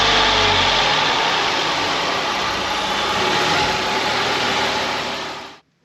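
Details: Ford Mondeo ST220 engine, previously neglected, first start after refitting breather and vacuum hoses: steady, even idle holding smooth speed with no knocks or misses before shutting off; sounds healthy, normal idle.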